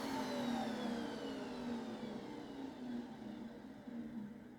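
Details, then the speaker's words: Restored 1980s Electrolux cylinder vacuum after switch-off: smooth, steady motor hum falls evenly in pitch as it winds down, with no scraping or rattle; motor healthy. "yay so that sounds to me like an electrox motor should sound"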